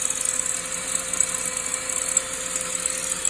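At idle a fast, dense metallic ticking rattle sits over a thin engine note, suggesting something loose around the belt or chain drive.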